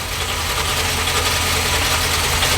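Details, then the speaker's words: XB Falcon MFP interceptor replica V8 first running after fuel reached the filter: loud, constant metallic clatter over steady idle, like a nut flung around the water pump; gear-driven cam drive instead of chain, normal. "So what you're hearing there, what sounds like a nut being flung around the water pump or something of the sorts, is a direct gear drive. So instead of having a chain between the camshaft and the crankshaft, it's got gears."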